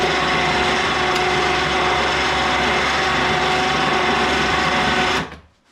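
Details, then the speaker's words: Yard-sale ATV winch, long stored, run on power: harsh rasping grind over steady motor drone, then stops; gearbox sounds low on grease, owner plans to disassemble and re-grease. "That didn't sound good. Yep, got to take it apart and grease it. Definitely sounds like there's not much grease in it."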